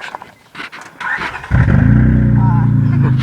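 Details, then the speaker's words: 2004 Honda Odyssey starting and idling: loud, deep, raspy rumble from a bad exhaust leak. "uh 2004 Honda Odyssey and right now we have a pretty bad exhaust leak"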